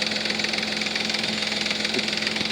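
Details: 3.5 Nissan Maxima at idle after Motor Medic flush and synthetic oil change: fast even light lifter ticking over the idle, worst at cold start and easing after 20–30 minutes; flush did not cure it.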